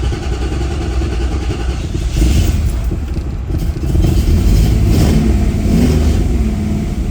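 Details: 1972 Mustang barn find, first start in about four or five years, with Sniper fuel injection initialized: engine runs and revs smoothly up and down, no obvious knocks; running fine.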